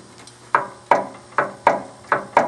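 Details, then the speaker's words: Mid-1990s Murray 12.5HP tractor, key turned on and off repeatedly; six crisp solenoid clicks with no cranking, as the solenoid actuates but does not pass voltage to the starter; an internal fault is suspected: starter solenoid clicks, starter does not crank. "Now in theory, it goes click, it connects those two terminals, these two big brass terminals you see here, they connect together, sends voltage off to the starter, away you go. It's not moving the voltage along."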